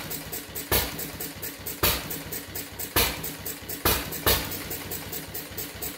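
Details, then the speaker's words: Fuller and Johnson hit-and-miss engine, first firing after cleaning grease cups, switch and mixer, 6-volt battery and coil box, started with a little choke: one heavy thump per second, long coasting valve ticks; owner suspects running too rich, plans checking mixer and RPM. "It seems like it's running awful rich."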